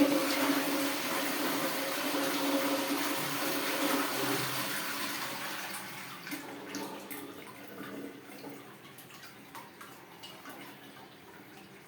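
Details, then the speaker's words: Pneumatic toilet cistern after repairing a fill diaphragm that was being pressed past its limit: hissing water fills the cistern and shuts off cleanly, then a full flush rushes in. Normal fill cut-off after diaphragm repair. "अब system थोड़ा सा भर रहा है और उसके बाद ये जैसे कट ऑफ होता है फिर हम इसको चेक कर फ फ्लश के साथ भी अब ये देखिए फुल फ्लश की आवाज बंद सॉरी फिलिंग के बाल आवाज बंद हो गई है"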